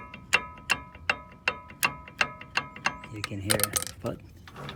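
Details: 1997 Dodge Ram 1500 4x4 front hub, rotor off, turned by hand: sharp regular clicks about 160 a minute then rough scraping; worn, rusted hub bearing, before replacement.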